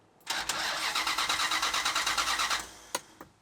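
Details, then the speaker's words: 1971 Plymouth Satellite cranking steadily at about three turns a second with no catch or firing; no spark, a part was found knocked off. "I didn't hear it trying to spark at all. No, me neither."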